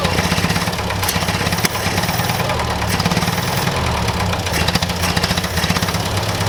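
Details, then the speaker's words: Massey Ferguson 65 tractor after carburetor work, repeated start attempts: engine chugs in uneven bursts and stumbles, barely catching and struggling to stay running; hard starting. "go come on there we go she's not liking me too well okay try it again okay we'll try it one more time here"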